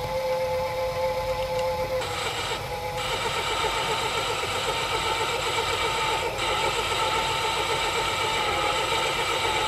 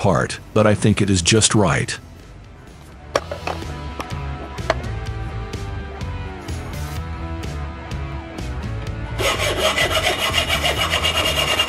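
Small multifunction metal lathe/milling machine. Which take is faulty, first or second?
second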